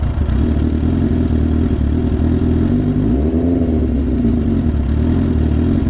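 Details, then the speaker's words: 2001 Katana 600 on the reserve petcock setting: a low, uneven idle wavers and sags as if about to stall. The idle speed was set too low after carb tampering, and the fuel is probably almost completely out. "She's having a hard time idling. I gotta turn the idle up slightly. That's what I get for tampering with the carb,"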